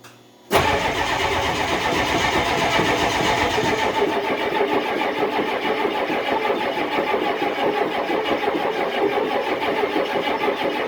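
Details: Cold start on a below-zero December day after boosting the battery with a charger; hard cranking, then catches with a rough, uneven clatter that slowly settles; hard cold start.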